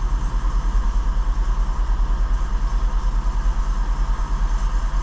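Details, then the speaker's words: 2006 Infiniti G35, 200,000 km, new spark plugs, at slightly raised rpm: steady low thrum about two pulses a second stumbling now and then; P0300 random misfire, bank 2 lean 20–30% positive trims, traced to bad fuel injectors. "know how well you'll be able to pick that on a camera but surely you can hear that running a bit rough"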